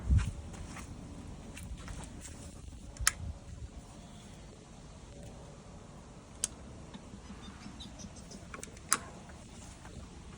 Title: Ryobi 40v Push Mower just making clicking sounds when starting